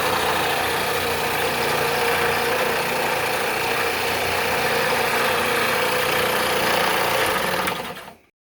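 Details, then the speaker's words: Harbor Freight belt sander bought 2012, after repair: steady even whirring rush with no knock, rattle or slap, clean run-down at switch-off; noise was a loose set screw on the top pulley, now normal running. "So it turns out the secret of fixing this noisy machine was that the set screw had come loose on the top pulley."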